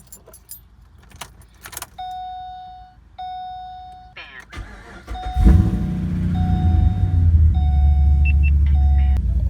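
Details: Pontiac G8 after replacing the faulty throttle body (code P2135) with a used one: chime sounds twice, brief crank, engine catches cleanly and settles into a smooth, even idle with no code returned.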